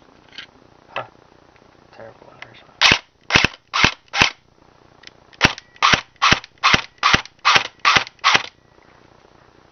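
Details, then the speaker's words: Airsoft version 2 gearbox on test after the motor was backed off: crisp even snaps about 2.5 per second; cycling normally, burning-electronics smell reduced; owner suspects poor connectors and wiring. "better that sound works better doesn't smell as bad or it doesn't smell like burning Electronics as much"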